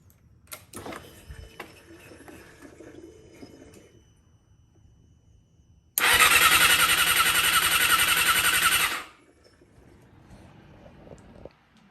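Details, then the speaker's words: Crashed 2008 Yamaha R6 under rebuild, battery charged for about an hour. The starter whirs evenly for about three seconds but the engine never catches. Crank, no start; cause not yet found. "okay so we let the battery charge for about an hour let's try to crank it one more time"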